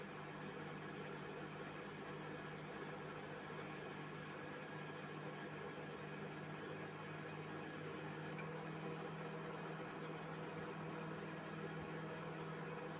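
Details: Mirta MW-2501W microwave, brought in for not heating, after freeing a jammed fan that had overloaded the transformer: quiet, steady low hum with constant fan and transformer drone, no buzzing or arcing; now heats normally.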